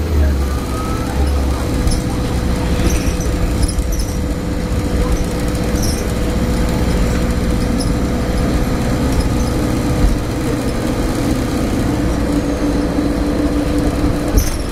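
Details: Stagecoach Cumbria Optare Solo bus 47020 (PO51 WLK) in service between Whitehaven and Workington, May 2015, while driving: a steady droning hum with a constant tone sits over the engine and road noise; its source is undiagnosed.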